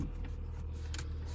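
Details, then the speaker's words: 2008 Honda Civic Hybrid after replacing the top engine mount, cold start: low steady even hum with no vibration, buzzing or shudder; smooth, quiet normal idle, earlier cabin resonance fixed. "no weird vibration no weird sound no vibration in the mirror no vibration over here it's smoother"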